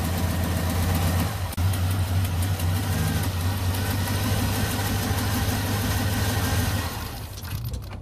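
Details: 2005 Chevy TrailBlazer with intermittent no-start and rough running, battery tested good: steady low idle for several seconds, then engine fades out and dies on its own; code P0682 then read. Engine stalling at idle.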